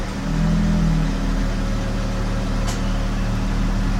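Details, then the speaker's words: 2013 Dodge Charger 3.6, jump-started then run off its own battery with the jumper disconnected, put in gear; engine note sags and roughens, nearly stalling. "oh it definitely feels like it wants to die out wow"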